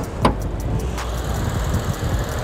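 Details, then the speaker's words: Auction car inspected with bonnet open, which had a slight coolant overflow; low, smooth, even hum after a single clunk at start, no knocks or ticks; normal idle. "oh it purrs the hood doesn't really stay up"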